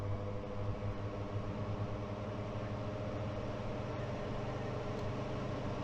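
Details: Blower door fan depressurizing a tight passive-house building under construction, turned up toward 50 pascals (about 38–40 Pa reached): steady low drone with a constant hum, no pulsing or rubbing; running normally.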